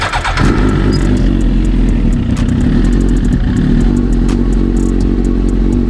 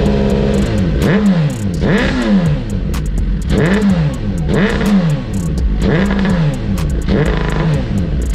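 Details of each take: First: 2009 Suzuki GSX-R1000 that sputtered badly: with a substitute fuel tank and pump fitted, loud, even four-cylinder run with a steady deep note, no stumbling or misses; original fuel pump confirmed faulty. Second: 2009 Suzuki GSX-R1000 with the original fuel tank and failing fuel pump: revs rise and sag about once a second, bogging when the pump's second stage fails. This is fuel starvation.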